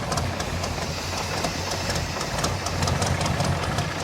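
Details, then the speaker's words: 1985 Chevy K10 carbureted engine that would not idle after sitting (owner suspected gummed carburetor), about 15 minutes after Seafoam spray and fuel treatment: now holds a steady low idle on its own, still slightly rough, needs more running. "so uh she's still idling a little rough but says to run the vehicle for another you know 10 15 minutes"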